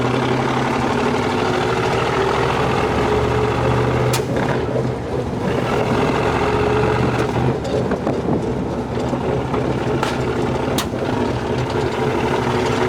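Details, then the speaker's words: 1965 Chevy pickup bought as parts truck: idle wanders and sags unevenly, dipping as if about to stall; rough running, possibly fuel delivery, carburetor suspected to need disassembly and cleaning; possible coolant weep between engine and transmission noted. "this carburetor might need to be taken apart and kind of cleaned up a little bit"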